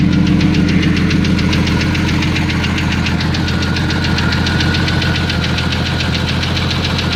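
A sharp, regular knock of about three or four a second rides over a steady engine idle. Cause suspected, not confirmed.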